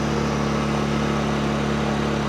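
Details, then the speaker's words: Honda EU2000i generator after carburetor cleaning, choke off; steady, even hum at constant pitch, no surging or hunting; clean stable idle, fault fixed. "How can you tell it's working? Because the choke is off and it's still running."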